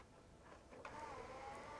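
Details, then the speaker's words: PS4 console found on a rubbish pile, after hard drive replacement: soft motorized whir as a game disc is drawn in, then a rising spin-up tone; the disc drive loads normally and ejects smoothly. "takes a disk in that's a good sign will it pop up here you can hear it spinning up"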